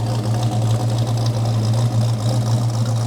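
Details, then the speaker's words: 1969 Dodge Charger V8 after new EFI fuel system install, idling at 850–900 rpm: deep, even burble with steady low throb, no misses or knocks; smooth, healthy idle. "Yeah, it's coming down to about, might be hard to see, it won't focus, but it's at 850 to 900 for RPM. So it's really starting to get where it needs to be."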